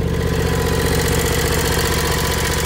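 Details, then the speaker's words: 2003 John Deere X485 garden tractor, 25 hp liquid-cooled Kawasaki EFI engine, about 660 hours, fuel pump just replaced: steady, even idle with a smooth low pulse, no misses, knocks or surging; normal idle. "did have a bad fuel pump whenever we got it in to put a new fuel pump on and it starts right out and works just fine this is a really nice machine"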